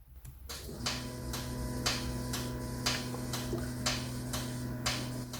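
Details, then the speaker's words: Audi C5 RS6 with an engine management light, solenoids actuated by diagnostic test: crisp single clicks about once a second over a steady fuel-pump hum show a camshaft timing adjuster solenoid switching; the bank 2 passenger-side chain tensioner solenoid does not click and is suspected of causing the fault. "Okay, so what we've got, when I activate each solenoid around the car for all the valves, they're all making a loud clicking noise,"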